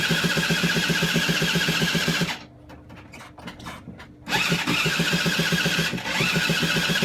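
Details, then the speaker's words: Honda SH50 City Express scooter, stood 9 years, replacement engine, first start, no exhaust fitted: raw, loud two-stroke crackle, stalls, restarts, runs unevenly; owner suspects it is sucking in air somewhere. "no exhaust on it and the riffs away - I"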